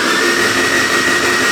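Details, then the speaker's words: Newly built Honda H22 turbo engine in a Civic, first start prep: an even, high whir with a thin steady whine and no compression beats, the starter spinning the engine freely with plugs out to prime oil until the pressure gauge rises. "So let's try cranking it again, Matt. we're gonna, the plugs are out already? Plugs are out."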